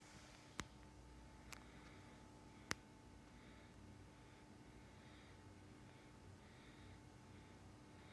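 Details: Deepcool LS520 SE AIO cooler pump stuck at 2550 rpm on an MSI Tomahawk board with an AMD 7800X3D: steady electrical buzz at one even pitch; owner can only fix it by resetting the pump in MSI fan software every 30 minutes.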